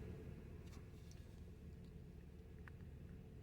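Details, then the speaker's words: 2012 Honda Accord 2.4 L automatic that first set P0301: after parts were swapped, the misfire moved to cylinder 2, giving a quiet, lumpy idle from one misfiring cylinder. Cylinder misfire from a faulty injector. "cylinder number two is firing this is counting here cylinder number two here i miss firearm right there"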